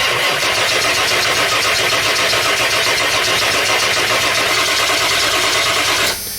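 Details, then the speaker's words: Ford E350 7.3L diesel van with a crank-no-start complaint and a blowing ECM fuse: six seconds of steady starter cranking with no firing; won't start because the disconnected connector also powers the injection pressure regulator (IPR). "well i just realized that it's not going to start because of because of the connector i just disconnected that same connector uh also powers the ipr okay the injection pressure regulator right now the ipr is not being powered so this van is not gonna start"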